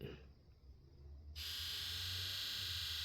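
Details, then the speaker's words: 7.3 Powerstroke diesel Ford with 412k miles, codes for injection control pressure low and earlier stalling: key on, engine off injector buzz test, near silence then a steady high-pitched buzz as injectors fire. "Injector buzz. Key on. Engine off. Okay, just watch. You'll hear it."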